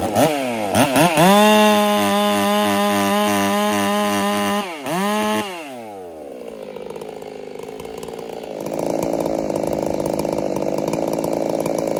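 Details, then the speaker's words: Ported Husqvarna 385 chainsaw still breaking in, tune left a touch rich: it screams at high revs with a faint uneven four-stroking burble at the top end, then drops to idle. "All right, I'm going to leave it right there for the tune. Just to be on the safe side, she's still got just a tiny bit of burble on the top side."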